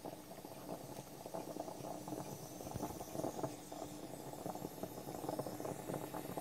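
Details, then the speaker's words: French stovetop espresso pot on the stove, lid not fully sealed so steam escapes: irregular bubbling and gurgling over steady hiss as coffee rises into top chamber; normal percolating brew. "Did you hear that percolating sound? That's what you're listening for. That means coffee is arriving in there."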